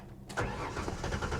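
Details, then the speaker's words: Salvage 2015 BMW 750i automatic, jump-started after a loose ground was reattached and low on fuel, cranks with uneven stumbling firing as it tries to catch but won't run. It may have been sitting, and an inertia switch is suspected. "Oh, she's trying to run. Huh. She fired. You heard that? It fired up."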